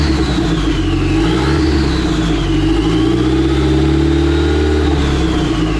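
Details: Dodge SRT-4 with replacement engine and transmission, previously bad crank sensor and rewired harness, started to test gears: steady even engine note rising and falling with throttle, smooth whistle on top, no knocks; normal running.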